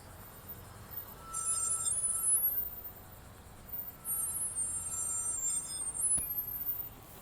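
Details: Tesla Model 3 creeping along gives high, thin squeal bursts from a rock lodged in the brake dust shield (cover around the inner rotor disc); fix is flexing the cover to free the rock, brakes may be hot.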